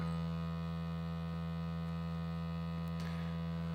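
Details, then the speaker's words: LG UP970 4K Blu-ray player, new, playing a disc with TV muted: loud, steady, unchanging electrical buzz with a rich hum beneath from the disc drive; owner suspects the laser moving across the disc. "oh my that is that is loud"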